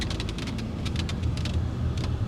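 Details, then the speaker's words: Chery Tiggo 7 Pro Avantgarde on rough cobblestone road: sharp irregular overhead clicking rattles over low road rumble from the sunroof. Driver wonders about hardened seal rubber, though the car is new; cause unconfirmed. "iki tane önemli tespitim var Birincisi bu otomobile özel olabilir mi bilmiyorum ama sunrooftan ses geliyor"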